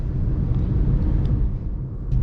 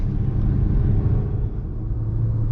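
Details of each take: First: Manual car driving at moderate road speed with a low, even, unstrained engine rumble after shifting up from second to third gear above about 50; normal engine note in the correct gear. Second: Manual car held in second gear at over 50 km/h: a loud, strained engine drone at high revs that keeps rising, over-revving in too low a gear; the car needs third gear.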